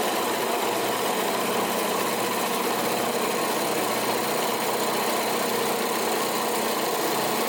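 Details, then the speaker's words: Central Machinery (Harbor Freight) 10-inch 12-speed bench drill press at high speed after moving belts and re-tensioning (½-inch deflection); even, steady high whir with no knocks, rattles or belt slap; normal operation. "Alright, let's fire it up with the faster RPMs and the new belt locations and see what she does."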